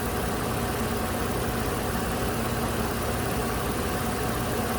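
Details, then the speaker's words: 2008 Toyota RAV4 Sport 3.5 V6 with P0300, P0302, P0304 misfires and flashing MIL, now running smooth with no misfire: even, steady idle, smooth low hum, all cylinders firing cleanly; intermittent fault not currently present. "unfortunately now though it's running smooth again it's not misfiring again"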